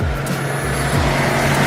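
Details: Steady low idle with a light hiss and no knocks or misses while burping air from the cooling system after a thermostat and gasket replacement, radiator cap off, coolant spilling over on a 36.8°F day; engine running normally.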